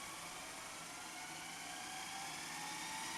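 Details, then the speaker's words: Repaired Panasonic NV-SV121 S-VHS deck, reassembled: after seeming to seize on the first rewind attempt, a steady high whirring hiss of tape spooling fast, even with no grinding or stalling; rewind now normal. "Oh, it's doing it now. That was a bit strange, wasn't it? It seemed to seize up when I first tried"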